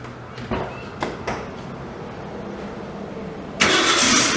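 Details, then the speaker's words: Nissan 240SX with a newly swapped RB25DET engine, first start, run only briefly because the radiator has no coolant. A few quiet clunks, then it fires and settles into a strong, even run with no misses or knocks; normal running. "as you can hear it is running let it run for air too long because I don't have any coolant or anything like that in the radiator"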